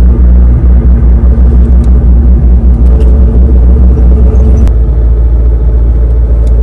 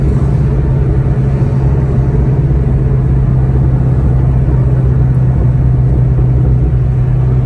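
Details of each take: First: 2003-2004 SVT Cobra T56 with an upgraded 26-spline input shaft and McLeod RXT clutch, at idle in neutral: low rumble with a fine rapid gear rattle that stops with the clutch pressed; owner suspects input-shaft shimming, input/countershaft area. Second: 2003-2004 SVT Cobra T56 with aftermarket 26-spline input shaft, driving: steady low engine drone, even hum under load, no gearbox whine or grinding; shifts fine, as gears sit farther back than the input/countershaft where the noise originates.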